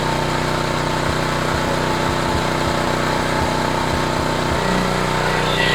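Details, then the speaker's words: Homelite HGCA3000 3500 W generator after new carburetor and head gasket, about 1500 W heater load: steady drone holding pitch with light periodic tick, settling as load applies, holding 123 V, 61.2 Hz; normal running under load. "all right it's got a load on still putting at 123 Vols 61 23 61.2 Herz"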